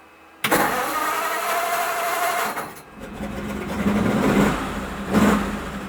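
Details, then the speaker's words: 1941 pickup that would not start after heavy overnight rain left the engine soaking wet. After compressed air and five minutes of heat gun on the distributor, with the engine probably flooded, it catches and idles rough: starts. "hey it started okay"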